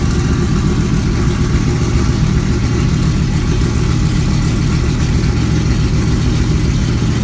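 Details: Kirkham Cobra KMP #174b cold start, fuel pump primed to about 5.5–6, out of gear: steady, even low rumble with a smooth unbroken beat and no knocks or ticks; healthy cold idle.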